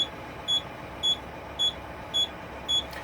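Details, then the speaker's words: Air brake system fanned down from about 70 PSI to 60 PSI: low air pressure warning light comes on with steady high-pitched beeps about every half second; spring brakes apply between 40 and 20 PSI. "so we're at about 70 PSI I'm going to 60 and that warning light has come on so you can hear it"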